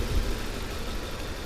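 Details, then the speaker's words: Volvo S40 petrol engine idling roughly with an uneven, stumbling low rumble, sneezing and coughing; misfiring with mass airflow sensor and lambda sensor fault codes, suspected faulty airflow meter or intake air leak. "Давай заведу и посмотрим как мотор работает о о чихает кашли пукает и всё это одновременно"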